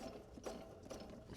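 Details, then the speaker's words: 1981 Ford Fiesta Mk1, 1.1L X-Flow engine, pulley bolts being removed: uneven metallic rattling and ticking chattering over low engine hum from a badly worn water pump bearing; water pump being replaced. "is one buggered water pump. It's a bloody good job he's getting it sorted."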